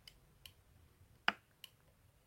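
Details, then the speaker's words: Honda ST1100 Pan European front brake lever being worked during a front master cylinder repair. Light, sharp ticks about every 0.4 s, with one louder snap, in a quiet room. The electrical brake light switch releases and clicks on braking; normal. "c'est le contacteur électrique. Quand je freine, ça relâche le contacteur et qui fait clic."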